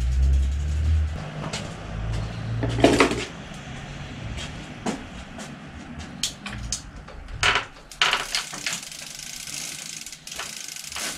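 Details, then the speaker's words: Bicycle bottom bracket with sharp, irregular cracks and creaks on each pedal stroke over shop noise; the bearing is dry, and grease helps. "tritt kugel knackt was tun so diese kugel knackt wie man hört"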